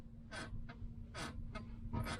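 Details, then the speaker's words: Campster camper van seat: five short scratchy squeaks as the seat shifts. "Ja, wenn du auch einen Campster hast, dann kennst du vielleicht das Problem, dass die Sitze manchmal etwas quietschen."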